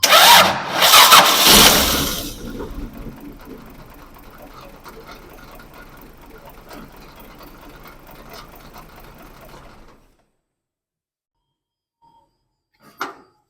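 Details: Toyota FJ40 engine: loud start, then an uneven, lumpy idle stumbling irregularly; misfire diagnosed with a scan tool and traced to a faulty distributor.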